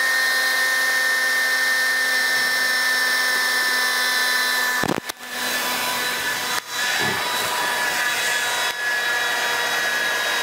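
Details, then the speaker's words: DeWalt DCBL720P1 20V brushless handheld leaf blower, battery-life test with large battery, held by a brick, nearing 22 minutes: steady high fan whine sags and briefly drops out as tone changes; battery nearly depleted, motor slowing before cutoff at 21:47. "Hey so here we are coming up on 22 minutes and you can hear the tone changing"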